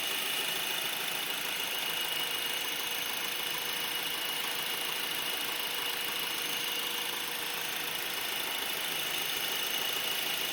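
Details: Brand new 2012 Honda Accord LX idling with a thin, steady high-pitched squeak or screech over a hissy running sound; dealer says it is normal, but another identical car lacks the noise; cause unknown.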